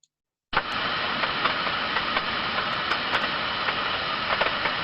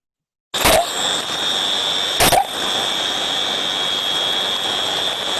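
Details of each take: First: Thermodynamic disc steam trap heard through an ultrasonic probe: steady turbulence, then a sharp rise as the trap opens and an abrupt halt as the disc slams shut; normal cycling, which should happen two to ten times per minute. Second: Thermodynamic disc steam trap heard via ultrasound: sharp snaps about every two seconds over steady hiss, far above the normal two to ten cycles per minute; trap working but cycling too often, not efficiently.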